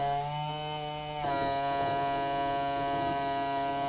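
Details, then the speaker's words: Power tilt and trim motor on a 2014 Yamaha 250 SHO outboard, 2000 Blazer 202 bass boat: steady electric hum stepping up in pitch, pump spinning freely without lifting; trim unit low on hydraulic fluid, so it won't go up. "Yep. You see it's low on fluid, so it doesn't want to go up."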